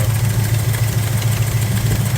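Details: V8 car after distributor advanced (it had been running hot and glowing red) and initial timing set about 10 degrees, idle adjusted: steady, even lumpy beat with no stumble. Normal idle.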